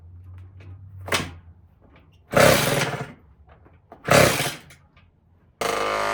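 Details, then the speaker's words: Tao Tao 110 mini quad with a swapped-in Kawasaki KX60 two-stroke engine, first ride: ragged throttle blips that fall flat, then a rough drone; bogs on throttle, suspected to be running lean from an air leak or a carburetor fault. "it it sounds like it's running uh super super lean or it has like an air leak it's got a bog when I give it gas so there's probably some air leaking in somewhere um or it could just be the carburetor"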